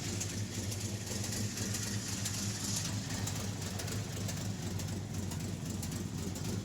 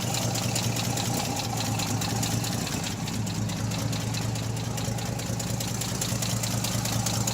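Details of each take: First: REO M-35 truck with a blown head gasket, engine cold and idling: lumpy beat, a few firings then a gap where a cylinder should fire, skipping at least one cylinder, likely more; once warm it would not idle. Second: REO M-35 military truck idling after head gasket replacement, same camera as earlier clips: steady, even idle with a firm low thrum and light upper-end valve clatter, sounding much like before the gasket failed; misfire less pronounced.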